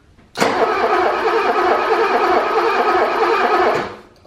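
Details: 1985 BMW E24 635CSi that sat for years, crank-no-start diagnosis: steady, even cranking churn for about 3.5 s with light ticking, turning over normally without catching, just after swapping connectors; the ticking suggests spark is restored.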